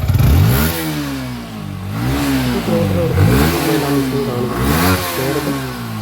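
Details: Yamaha V3 BS6 motorcycle that misfired at full throttle, after the rusted, fully blocked fuel tank was cleaned and refitted: picks up cleanly and drops back evenly through several blips with no misfire; running fine.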